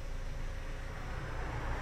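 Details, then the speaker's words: MG EHS plug-in hybrid, engine still running after recovery from a dead 12V battery, exhaust new: low, smooth, even rumble at idle with no ticks or hunting in speed. The engine runs well, no problem. "bon en tout cas le moteur lui il tourne bien pas de souci"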